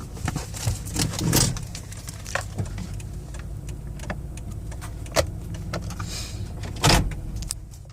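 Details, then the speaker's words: 2014 Toyota Sienna L wheelchair van, 60,000 miles, test drive with AC turned down: low, even engine drone with smooth transmission shifts and only cabin clicks and rattles; engine and transmission healthy. "The point of this test drive is so you can hear the transmission shift, the engine run. I am turning the air conditioning down, not because of lack of power, just so you can hear everything moving."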